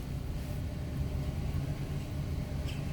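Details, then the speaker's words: Mercedes W126 V8 just started cold after a DIY ignition coil replacement: a steady, even low rumble with no skips. Normal idle, no misfire; owner says it runs nicely when hot. "No misfire yet. Also temperature. When she's at temperature, she runs nice when she's uh when she's uh hot."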